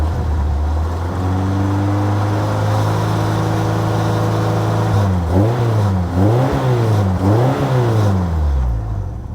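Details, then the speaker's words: Long-stored Ford Model A hot rod, tired engine idling with oil pressure dropping (worn main bearings suspected), oil leaking down the back: low, even idle with quick throttle blips and a light rattle; possible blow-by or loose PCV hose suspected, unconfirmed. "it's got some kind of rattle like I said it leaks oil down the back"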